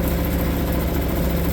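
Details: Suzuki DF 2.5 HP outboard, warm-started without choke in neutral after a no-start blamed on the low-oil sensor; low, smooth, even run with no misses, knocks or rattles. Healthy warm idle.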